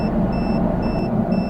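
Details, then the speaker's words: RV rear right tire slowly losing air while driving: the TPMS alarm gives repeating high double-tone beeps about every half second over steady road rumble, warning of the leak. "well it goes to show the TPMS works right there I got a leak in a tire the alarms are off running off on me so time to go change the tire"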